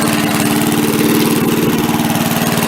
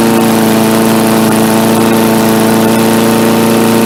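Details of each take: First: MTD push mower after carb cleaning: putters at a steady low idle and never picks up speed when the throttle is moved; the throttle linkage spring was hooked wrong after the carb was refitted. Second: MTD Yard Machines 3.75 hp 22-inch push mower, carb only cleaned: steady single-cylinder drone at constant speed with no misses, surging or rattles; running smoothly.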